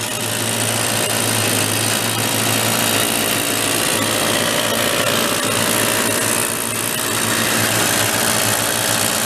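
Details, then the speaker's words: 1970 Benelli Buzzer mini bike parked 40+ years, carb and fuel system gone through, cold and running on choke to warm up: busy, high-pitched, slightly ragged buzz; idle later dies once off choke. "gonna run for a second with the choke on it and we'll pop the truck off you gotta turn it Full Throttle for the stroke to release get a little heat in it first up"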